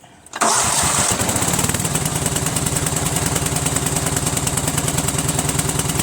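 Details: Cub Cadet lawn tractor with a Kohler Command single-cylinder engine that normally starts hard and runs rough, here with the fuel pump bypassed and gravity-fed from a separate tank. It starts at once and idles steadily and evenly, pointing to a bad fuel pump.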